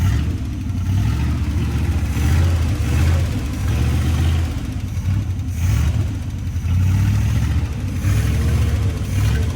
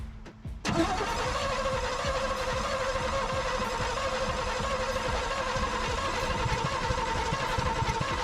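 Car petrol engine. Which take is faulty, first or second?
second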